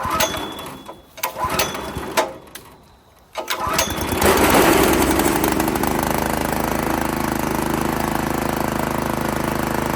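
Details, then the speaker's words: Italian Workman 2 Multimixer cement mixer, Honda GX160, after maintenance, awaiting new carburettor: settles into a smooth, even run with a steady beat, no misses or rattles; running normally. "on feel like it actually doesn't sound the worst right now"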